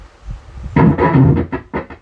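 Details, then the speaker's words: An Ahuja SSA-250M amplifier plays music choppy and crackly, breaking up in rough bursts, before repair. The output transistor has no collector voltage. "एक बार फिर आवाज सुनो, देखिए यह कैसा है। दरार दरार आवाज आ रही है।"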